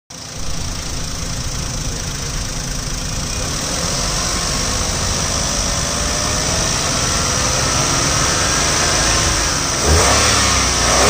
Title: Alto K10 2012, Engine noise.